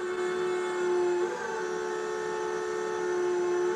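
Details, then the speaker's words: Solectrac 25G electric tractor with the lift dip switch off, which slows the hydraulic pump motor to a lower RPM. A steady, even mid-pitched hum holds constant while the loader lifts, showing normal reduced-speed running. "It is slowing down the motor, so the motor goes at a slower RPM."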